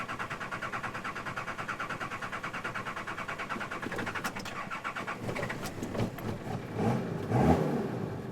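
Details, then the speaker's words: Diesel 4x4 in the Victorian High Country with a fuel pump lacking suction, cutting out whether cold or warm when on a hill: uneven chugging about two pulses a second, then faltering and stalling before a rough restart attempt, from fuel starvation. "so until it's warmed up and or even when it's warmed up if you're on a hill it'll starve the engine just cuts out like it just has just then"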